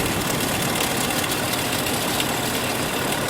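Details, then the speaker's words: 1998 Chevrolet Cheyenne K2500, engine running, stethoscope on power steering pump: steady, even whir without the pronounced noise; pump normal, noise with flickering battery light traced to failing alternator. "it's definitely not as pronounced. So, this does sound like something's going in the alternator."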